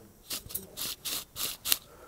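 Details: Cheap replacement strut top mount twisted by hand: five or six short, dry scraping rasps; bearing has failed, its balls have fallen out.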